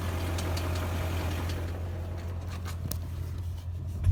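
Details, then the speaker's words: 2001 BMW E39 M5, S62B50 V8, about 164,000 miles: low, steady V8 idle rumble with a faint irregular tapping underneath. Confirmed connecting rod bearing failure knocking at idle, slightly premature; rod bearings to be replaced. "so a little bit premature um it is rod bearing failure it's not bearing preventative maintenance it's thread bearing failure"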